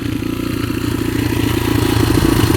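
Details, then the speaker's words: Rebuilt 2003 Yamaha TTR125 single-cylinder dirt bike after repairing an engine knock: a steady, even idle with firm, regular pulses and no knock or clatter. It idles perfectly, shifts smoothly, and has strong compression. "Shifts through all the gears smoothly. Really smooth. Idles perfectly. I can feel the compression all the way back here."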